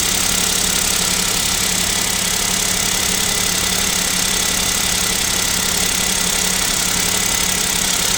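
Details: Kia Picanto 2, 1.0 G3LA engine, cold start at about -7°C: steady, even, dry tapping about three per second, suspected bottom-end/piston knock; owner asks if overhaul is near, unconfirmed.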